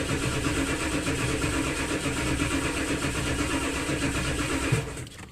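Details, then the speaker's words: Ford 7.3L OBS Powerstroke diesel after injector O-ring replacement for oil in the fuel, first start: steady starter churning at about three beats a second for several seconds; long cranking is normal while oil pressure builds. "it might take a little bit to crank up but eventually it'll crank up it just has to build uh oil pressure and the oil has to circulate around all right here goes uh try number one and it will take a while to crank up"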